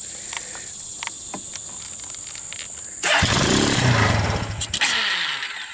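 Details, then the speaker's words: Abandoned Suzuki KingQuad 300 4x4 ATV, first start after converting Mikuni to Keihin clone carburetor, on full choke: a few seconds of cranking, then the single catches and revs unevenly before settling; sounds promising, choke to be reduced. "like that it sounds like she's got potential let's give it a little less choke give that in another try"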